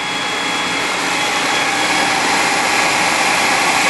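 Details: 1997 Spartan/Ferrara fire engine, 1250 gpm pump drafting from dry hydrant at about 100 PSI with deck gun fully open: loud, steady high rush of water over even engine drone, no surging or cavitation rattle; pump holding pressure normally.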